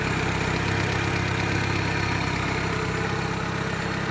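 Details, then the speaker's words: Daewoo Lanos 1.6 petrol engine idling smoothly and evenly with no misfire or knock; slight exhaust leak suspected, smoke from freshly greased exhaust manifold studs as it warms; normal idle. "Так, в общем, вот так вот работает двигатель. Достаточно ровно, без строений, без ничего абсолютно."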